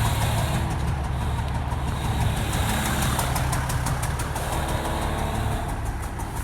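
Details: Toyota HDJ81 diesel with rough idle and smoke: clattering idle with an uneven, lumpy beat and low rumble underneath; rough idle, cause not yet clear.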